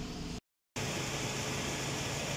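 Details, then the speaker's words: Toyota Innova with AC switched on, after replacing an auxiliary condenser fan motor whose bearing had gone noisy and caused engine overheating. The new fan runs automatically with a steady, even rush and low hum and no bearing noise. "Ah okay na yung ating kinabit na auxiliary fan motor yan Gumagana na siya B nag-automatic na yung ating auxiliary fan yan"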